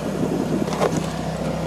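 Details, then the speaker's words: Fiat 500 started after DIY exhaust replacement: low, even exhaust burble at idle under some wind gusts, with no puffing leak or metallic rattle; the exhaust sounds normal. "no leaks, sounds good. No rattles."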